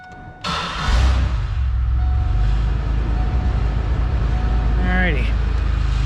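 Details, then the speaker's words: GTP just started after the blown AC clutch fuse was replaced: a loose, uneven low rattle rides over the idle, with the exhaust rattling badly. Owner plans an exhaust fix; the AC clutch now engages. "am going to get the exhaust fix it's rattling its ass off"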